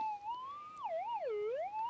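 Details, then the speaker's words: GPX 6000 detector with the standard 11-inch coil, lead shot moved toward the coil's edge over the winding, the sensitive sweet spot, with some EMI background noise. A clear warbling tone swoops up and down: normal target signal at the coil edge. "now I just going to show you if I come in with the 11in coil as I get closer you can hear it pinging right on the"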